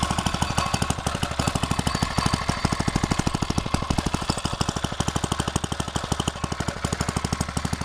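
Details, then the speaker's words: 5-inch gauge petrol-electric locomotive's small petrol engine driving its coupled generator, trial run, leads not yet attached: crisp, evenly spaced rapid firing pulses at steady speed, no misses or knocks; running normally. "I've just first fired it up a second ago just to give it a little trial run, and it all seems to work very well."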